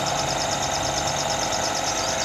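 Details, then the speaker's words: Toyota GLi idling after tappets set and tappet cover refitted (P1604 code, tappet noise complaint): even, steady idle with smooth mid-pitched hum, no ticking or knocking; valvetrain quiet and healthy, sounds like new. "ये आप देख सकते हैं हमारी गाड़ी है ना, जो इसकी आवाज़ जो माशाल्लाह बिल्कुल जैसे नई गाड़ी होती है ऐसे"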